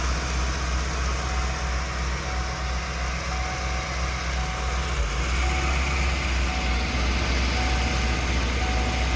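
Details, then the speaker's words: 1994 Ford E350 Club Wagon 351 V8, cold idle: low uneven chug with occasional stumble, misfire worse dead cold, mostly gone at temperature, worst under load; base timing about 10 degrees, suspected leak at PCV grommet. "so yeah the idle you can hear it when it's cold it kind of quits that for the most part once it's up to temperature"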